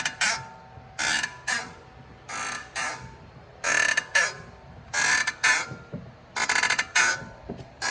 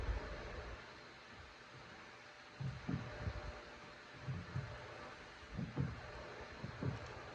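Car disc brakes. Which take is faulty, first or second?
first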